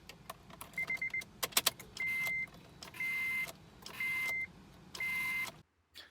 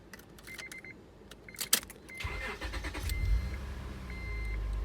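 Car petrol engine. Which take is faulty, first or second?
first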